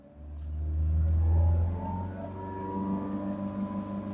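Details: Mazda3 Skyactiv BN, about 70,000–75,000 km: revs held at 3,000 rpm bring a constant low drone with a faint higher whine; belt pulley and front engine bearing are suspected, not confirmed.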